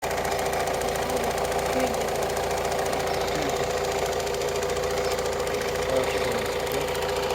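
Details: Opel Astra J 1.7 CDTI diesel bought a week earlier from a dealer: fast light clicking/ticking over steady idle clatter.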